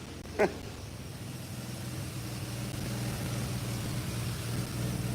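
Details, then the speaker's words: 1986 Chevrolet C10 TBI fuel injection, code 44 lean mixture, fuel pressure 15 psi: low idle rumble wavering unevenly, stumbling; injectors or fuel pressure regulator suspected, not confirmed. "All right. You see it's stumbling. See, it's stumbling. See it? It's stumbling now."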